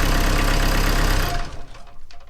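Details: CAT 304 excavator diesel, started by jumping the starter wire to bypass an intermittent click-no-start fault: even, steady idle with no knocks or misses, then the engine cuts out cleanly via the kill switch; healthy running.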